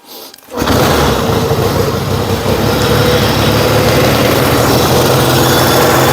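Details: Yamaha XS1B twin after carb rebuild, dead-cylinder tune and throttle screws set for about 1000 rpm idle, airboxes back on; a backfire at start, then steady even beat with no misfire, healthy idle.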